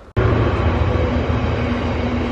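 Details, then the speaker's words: Chinese diesel heater in a van, fixed after error code 07 with a replacement display unit and board, even steady low rumble with faint constant tone, no misfire or surging; running smoothly. "we've now got two working diesel heaters both mine and my friends fixed it's on now can you hear it"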